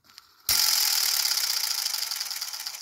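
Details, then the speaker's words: Century 1/4 HP repulsion-start induction-run electric motor, about 100 years old, cleaned and serviced, on about 230–240 VAC, no load, drawing under 2 A running: sharp rapid clicking at switch-off slowing and fading on coast-down; start mechanism dropping back in normally. "okay so let me just stop it and then we'll do a start because it's quite interesting doesn't actually pull much current when the thing starts in fact let me just focus there and you'll see hopefully you'll see if things click back in"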